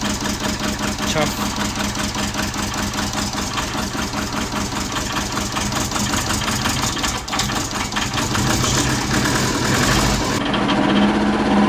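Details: Subaru Forester with big turbo and new stage 2 cams: uneven, loping idle with irregular pulses; rough lumpy idle, idle speed too low.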